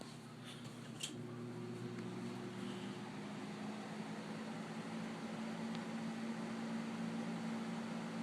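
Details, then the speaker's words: 1999 Lakewood 20" box fan, model 200i, very dirty and never cleaned, before cleaning: soft steady motor hum and air rush, slight bearing noise, no rattles; runs normally. "well being it's so dirty you'd think you'd run a little bit crappy but no runs perfect doesn't move freely in here little bit bearing spirit to it with nothing major"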